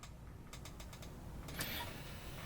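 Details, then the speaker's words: 1983 Sony CDP-101 CD player, disc inside: pressing eject gives five quick light clicks then a short motor whirr with no tray travel; tray stuck, mechanism needs lubricating. "So if I hit eject, it's not gonna release the disc. I'm gonna have to manually get it out."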